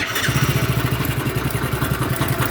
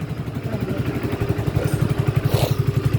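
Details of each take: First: Hero HF Deluxe BS6 motorcycle, about 7,000 km, idling: loose metallic chatter over steady thump from timing chain noise; rides oddly. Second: Hero HF Deluxe BS6 motorcycle, about 7,000 km, idling with a steady, even low thump and no ticking or rattle after timing chain replacement fixed its timing chain noise.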